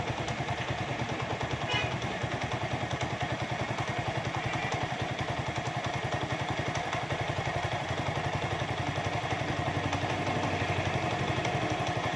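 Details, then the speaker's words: Motorcycle after carburetor air–fuel mixture screw tuning and idle speed lowered: slow, even thump-thump idle with no hunting or stumbling; the earlier jerking is gone and it idles smoothly. "देखें कितना स्लो खड़ा हुआ है मोटरसाइकिल। आवाज़ भी कितनी प्यारी है। इसमें अभी झटका भी ख़त्म हो गया है।"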